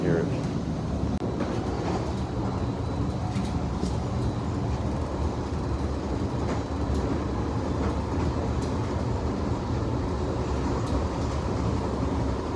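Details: Front rail car just starting to roll: a heavy, steady rumble with irregular sharp clacks, from a bad wheel on that car.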